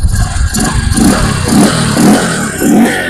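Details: Bajaj CT 150 Boxer after replacing worn adjusting bolts, valves and rocker parts that caused engine tapping: short clean throttle blips about every half second, smooth pickup without rattle; sounds healthy.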